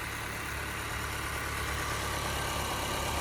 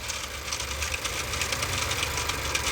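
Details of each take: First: Honda after repair, previously skipping and running bad; one cylinder wall has slight scoring: steady even idle, smooth low hum, no misses or stumbles; normal idle, needs driving to clean out cylinders. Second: Honda engine idling with turbo: fast tinny rattling ticks, loose metallic chatter over the idle; turbo wheel stops instead of spooling and whole turbo wobbles back and forth; turbocharger shaft play, turbo shot.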